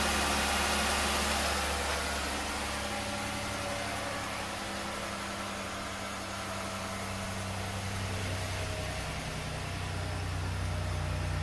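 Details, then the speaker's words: 2009 Chevrolet Impala 3.5 V6, a salvage-auction car, idling after start: smooth, even low hum at a steady beat with no knocks or misses; healthy idle. "Yeah, she runs good too. The mighty 35."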